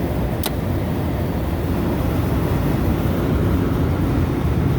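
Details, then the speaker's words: Three-phase commercial refrigeration compressor on a cook's line, windings all measured 1.6 ohms; it had sounded like it was running backwards until mixed-up phases were corrected; now a steady, even low hum drawing about eight amps: normal compressor running. "cool thing about having video is I went back and I looked at and I did mix up the phases so we should be good now"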